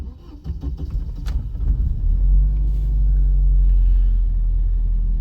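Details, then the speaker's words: 1997 GM Vectra CD 2.0 16v cold start; brief crank, catches, then smooth even slightly raised idle as injection lifts rpm then corrects; no knocks or misses, normal cold start. "Ele já faz um cold start, ele sobe um pouco mais a RPM e aí a injeção já dá uma corrigida."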